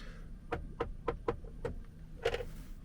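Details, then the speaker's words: Audi Q6 centre armrest, back from workshop that claimed to check it: six or seven sharp, even clicks as the lid opens, then a heavier clonk; owner suspects a poor ratchet mechanism; armrest clonking. "And my centre armrest, I've always thought this is a bit kind of weird and noisy. As I open it, it makes some... I don't think it should be clonking like that."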